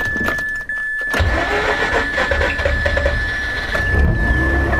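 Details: 2004 Mazda RX-8 manual, six-port rotary, after a full ignition system rebuild; uneven stumbling crank, slowly catching to a ragged run, starting pretty much the same as before, so ignition wasn't the issue; hard start cause unknown.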